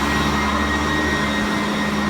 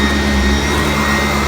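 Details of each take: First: Vacuum cleaner on carpet with the height set back to 2, after whining at another setting: even motor hum and soft brush whir with much less whine; normal brush roll sound. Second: Upright vacuum on carpet with the brush height set too low: steady high motor whine over the roar, straining and not beating the carpet; raising it to setting 2 made it much quieter and the brush smoother.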